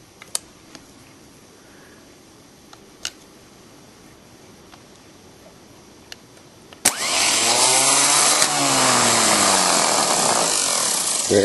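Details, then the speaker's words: VW pickup with starting trouble: original starter bench-tested out of truck on jumper cables, faint clicks then fast, strong, steady high-pitched whir; starter spins fine. "that seems to come out there pretty strong"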